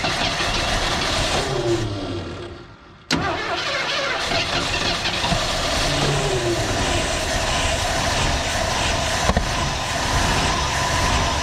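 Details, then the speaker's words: Old Ford engine, previously seized, first start after cylinders soaked three days in two-stroke gas and PB Blaster: catches and runs rough and lumpy with wavering speed and rattly top end; cause not confirmed. "it's so quiet don't sound great no it doesn't sound good but uh it does things"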